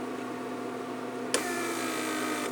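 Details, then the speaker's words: Repaired 1999 Mercedes S500 door lock PSE pump on a bench test, with a pressure leak deliberately left open and hissing: a steady electric hum, then a click as the pump kicks back on. It cycles because of the pressure leak. "So as you saw, when you have a little pressure leak or a little vacuum leak, pump cycles. That's what you do not want."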